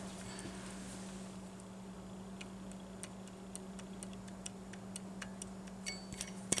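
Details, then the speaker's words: Chevy Silverado serpentine belt tensioner pulley removed and turned by hand: uneven scratchy ticking about three a second over a hum; worn tensioner bearing, rougher than the idler, replaced to make the truck quiet again. "pulley hear how rough that sounds so when I drove it today like oh my God I got my quiet truck back"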